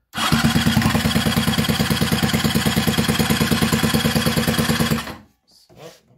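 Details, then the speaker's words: Scooter with a cheap replacement cylinder after a seizure, air filter off, starting spray used, brake held for starter: steady cranking about three compressions a second for five seconds, never firing; plug stays dry. "ich komme mit dem roller irgendwie nicht weiter ich kriege nicht zum laufen"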